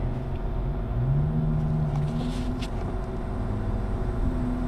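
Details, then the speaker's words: Mini split air conditioner test run after replacing the main circuit board: steady, even low hum holding level with no knocks or rattles; running and cooling normally. "All right, we're back. We are running."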